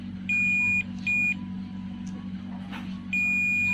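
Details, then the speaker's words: Samsung 40-inch LED TV that trips the house meter when plugged in, lifted secondary-side diode tested with multimeter: three high beep bursts over low hum, diode shorted; replacing it cleared the short. "selanjutnya kita ubah kembali apakah benar-benar di TNI yang soft teman-teman bisa dengarkan di suara Buster yang bunyi aja ya teman-teman"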